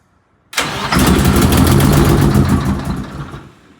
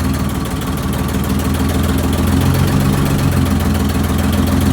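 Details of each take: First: Eagle bus diesel after head work and new larger fuel injectors: quiet, then engine catches with rough chugging for a couple of seconds and fades out, having lost fuel prime; restarts and then runs smooth. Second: Eagle bus diesel after head work and new larger fuel injectors, restarted after losing prime: loud, deep, even idle beat, steady and settled with no misses or knocks; running real smooth before test drive.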